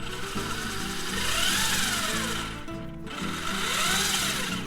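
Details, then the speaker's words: Traxxas Slash Ultimate RC after motor mount replacement (7460A mount, bearing adapter, spur gear, O-ring), test run: electric motor whine rising and falling smoothly with throttle, no center driveshaft rattle or clatter. Normal drivetrain run. "everything seems to be running right"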